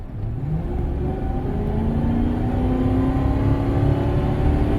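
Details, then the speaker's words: Vehicle with lean codes P0171 and P0174, driven at full throttle on the road. The engine drones with a slowly climbing tone and the transmission won't upshift for lack of power. Low fuel pressure suspected, or possibly plugged cats. "It doesn't want to shift because it's not making enough power. I basically had my foot to the floor and you could hear it. It wasn't shifting because it wasn't making enough power."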